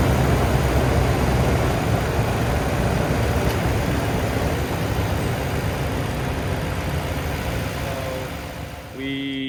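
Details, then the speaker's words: 2010 Toyota Tundra V8 idling after engine replacement: even smooth rumble with no tapping, knocking or stumbling, fading slightly; engine nice and smooth, though a code, possibly P0453, relating to the vacuum pump connection remains. "just finished putting the engine in here uh very very happy the engine sounds really really good it's nice and smooth"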